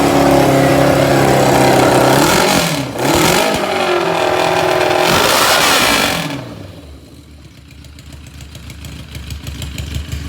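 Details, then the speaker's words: 1981 Yamaha XJ650 bobber, not warmed up, loud: revving that sags and hunts unevenly, dropping to a ragged faltering idle near stalling; cold engine stumbling, about to die, otherwise said to run really good. "But as you can see, it was gonna die because it's not warmed up. But super loud, super obnoxious, super crazy."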